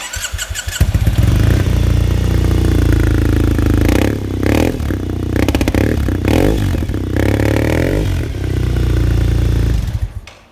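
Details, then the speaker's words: 2012 Triumph Bonneville SE 865, one owner, 402 miles, stored in a heated garage, full Arrow exhaust system. The twin catches straight away and settles to an even, deep idle with a few clean throttle blips. It sounds healthy and smooth. "It does sound good. The camera might not do it justice, so come down and have a listen for"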